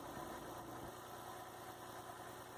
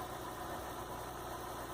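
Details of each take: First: 2003 Mazda MPV with cable-operated throttle body, idle too high before adjustment (tachometer around 1000 rpm, target 700): steady, even engine beat noticeably faster than normal idle; idle speed needs turning down. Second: 2003 Mazda MPV with non-electronic throttle body after adjusting a high idle (1000, then 800 rpm) down to 700 rpm; steady, even low hum with no misses, knocks or surging; normal idle.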